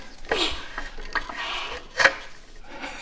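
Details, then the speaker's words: 1982 Honda ATC250R, 250cc two-stroke, long stored outside and seized: crank rocked gently by breaker bar, heard near the spark plug hole, slow irregular gritty crunches as the piston grinds through a rust ridge. "Come on over here to the spark plug hole. It's working through that rust ridge. I'm just going back and forth really gently."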